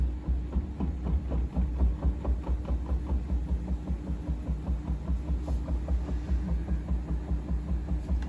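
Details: Bosch washing machine spinning up: low throbbing hum with a rapid, uneven tapping about two knocks a second as it speeds up and the drum wobbles; owner wonders about bearing damage, cause unknown.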